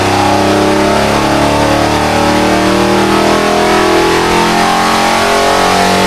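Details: Rebuilt barn-find Mopar 340 V8 with hydraulic flat-tappet cam on engine dyno, 94 octane, pull toward 6000 rpm: loud steady roar at high revs, no misfire; 364 hp at 5600 rpm, 70 psi oil pressure. Normal full-throttle run.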